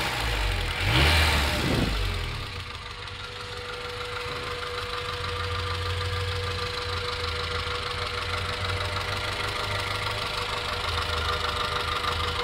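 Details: 1994 Acura Integra GSR petrol engine at idle: light, fairly regular ticking about three or four per second; owner unsure whether rod knock, exhaust leak or valve lash.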